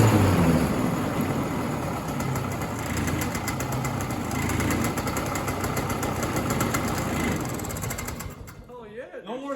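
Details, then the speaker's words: 1967 Ski-Doo Alpine twin-track snowmobile two-stroke, sat for years, on its own fuel supply: after a lean bog cured with more fuel, a busy burble idles steadily without spitting or bogging; normal idle. "I think it just needed to start running and then I gave it a little more fuel. >> Yeah, >> that was a lean bog, not a rich bog. >> It was lean. That makes sense. It idles now."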